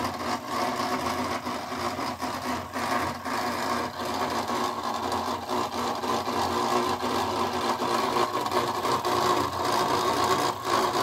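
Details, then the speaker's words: Early-1980s Panama Fan Co/C.M. Electronics gear-driven ceiling fan: mostly plastic, small side-mounted C-frame motor driving a gear, run without blades. Loud, rough clattering whir with uneven rattle about twice a second; noisy gear drive. "yeah pretty noisy even bladeless of course don't move any air"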